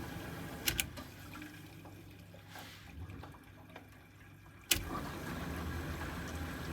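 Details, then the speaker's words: Heating system with boiler pump turned down to setting one: irregular gurgling, trickling and bubbling with a few sharp knocks over a quiet pump hum; air trapped in pipes, pump needs venting. "I can hear lots of air everywhere and obviously there's no evidence anywhere in here but I can hear when I when I turn this off I'll turn it down to one you can hear lots of bubbling above"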